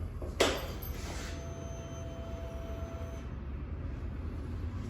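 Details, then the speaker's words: Suzuki Access 125 BS6 scooter at ignition on: a faint, steady whir for about two seconds, then cutoff, from the fuel pump in the tank. Normal fuel pump priming. "वह आवाज में कि इसके fuel टंकी में लगे fuel pump से आती है जो बीएसई के सभी बाइक एक्टिव में लगता है"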